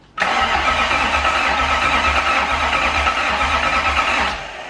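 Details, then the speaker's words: Toyota 1UZ V8 swapped into a Cressida, first fire-up attempt with a filtered fuel line: about four seconds of harsh, uneven whirring crank that never catches; faulty starter, which is mounted in the engine V. "no because at this point we realized that we have a faulty starter our worst nightmare because it's mounted in the V"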